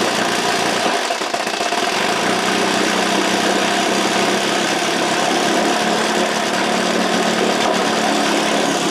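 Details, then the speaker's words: Johnson 9.5 hp two-stroke outboard, roughly 1966–1972 (listed as 1969), first run after carb kit fixup, choke used, low-speed not yet set, no load: busy even buzz, no stumbles; a little smoky but runs half-decent, needs on-lake tuning. "well it's a little bit smoky but you can't fault it for that seems to run half-decent"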